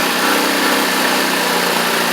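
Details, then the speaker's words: X-Pro X20 GY6 scooter after carburetor replacement: steady, even, slightly fast idle with no misses, but any lower and it stalls. Owner suspects vacuum leaks; the oversized intake manifold was later replaced for a low steady idle. "It sounds like it's idling a little high, but any lower and it just wants to conk out sometimes."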